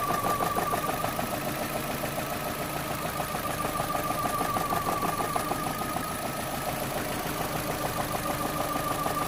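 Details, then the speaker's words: 2010 Vauxhall/Opel Astra H 1.6 petrol, warming idle with fuel trim and timing codes: fast ticking beat, faint thin whine, revs wavering; searching idle. "yeah he's struggling not struggling to hold the revs but he's definitely searching"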